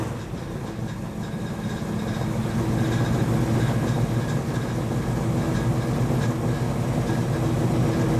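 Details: 1935 Chevy Master, newly installed 409 stroker V8 at first start-up on jack stands: deep, lumpy idle with a steady choppy cam beat and a faint rhythmic ticking behind it; oil pressure and temperature good, and the idle is judged normal.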